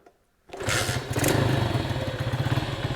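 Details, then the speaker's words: Dusty, neglected Honda Trail 70 minibike with a Lifan-type engine, first start attempt in a long time, choked, kick-started; catches at once, then a steady single-cylinder putter with an even beat and no misses, healthy normal idle. "say what you want about these lifein motors but they were designed after the Honda Motors and uh you know they they just work that is awesome"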